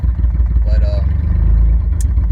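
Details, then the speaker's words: 1996 Chevy S10 Blazer idling during a coolant flush. A deep, loud rumble with a raw, unmuffled exhaust note, because the catalytic converter is missing. The owner plans to fit a converter or a straight pipe. "but yeah she starts up i need it i need to fix that that noise i need to put a converter or just put a piece of pipe i don't know"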